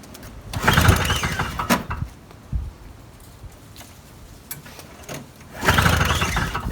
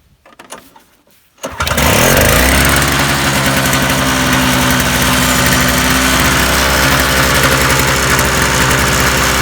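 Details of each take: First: Old Toro two-stroke snowblower, with Sea Foam in the carburetor and the primer bulb popped off: on half choke it fires in short ragged bursts that die out at once; fires but won't keep running. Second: Toro two-stroke snowblower after carburetor main jet cleaning and new spark plug, already warmed five minutes, choke off: fires after a short pause and settles into a steady, even, high buzz with no stumbling.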